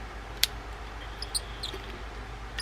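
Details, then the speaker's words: Spinfisher 420SS spinning reel, the earlier version of the 4200. Faint sharp squeaks as the handle knob turns, over a quiet hum. The creaking knob shows it hasn't been serviced in a while. "And, well, you can hear just by the creak on that knob that it hasn't been serviced in a while."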